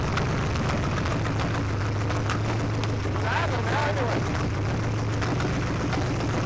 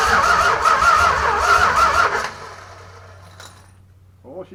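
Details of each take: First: Junkyard 1965 383 V8 after 30+ years sitting, new distributor, wet black plugs cleaned: deep, fairly even rumble holds steady for ten seconds before shutting off; runs acceptably. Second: Junkyard 1965 383 V8, new distributor fitted, first start after 30+ years sitting, carb bowls filled: fires and runs unevenly with ragged pulsing for about two seconds, then dies; barely catching, plugs later found wet and black.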